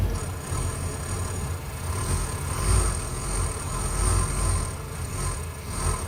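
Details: 1993 Ford E250 5.8L V8: rough, hunting idle after 20-40 minutes running, swelling and sagging each second with occasional hissy intake noises; eventually stalls; IAC valve, fuel filter replaced and EGR blocked without change; cause unknown.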